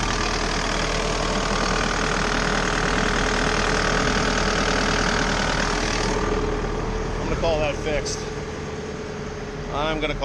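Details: Bobcat T590 diesel after water pump replacement (old pump bearing failed, seal leaked coolant), fully warm with coolant holding 183-187 then 181 degrees, repair judged fixed: steady, even idle clatter, no misses or knocks.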